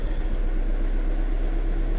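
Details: Honda petrol engine (VTEC) from a scam car, idling lumpy and erratic with a hard misfire; a weak VTEC solenoid letting oil pressure bleed through causing valve overlap was suspected.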